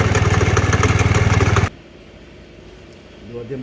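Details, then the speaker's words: Kymco Agility Renouvo Naked 50cc 4-stroke Euro 4 scooter with broken variator and torn belt: fast, even knocking about four per second over idle, then shuts off; worn bearing with play, suspected crankshaft bearing. "Problème, le roulement. Il y a un jeu ici. Voilà. C'est lui qui fait le problème."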